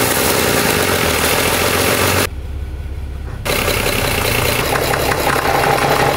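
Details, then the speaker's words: Overhauled 230HP Mercedes diesel boat engine, gearbox shifted into forward and reverse with no load: loose, uneven rattle over steady running, quiet in neutral; gearbox not opened, only bearings checked externally. "दुर्भाग्य से हमारी खुशी अधिक समय तक नहीं रह सकी क्योंकि जब हमने आगे और पीछे की ओर परीक्षण करना शुरू किया तो हमें एक टेढ़ी-मेढ़ी आवाज सुनाई दे रही थी। गियरबॉक्स से शोर, जबकि यह तटस्थ है, ठीक है लेकिन जब हम इसे हिलाते हैं, तो इसमें शोर होता है..."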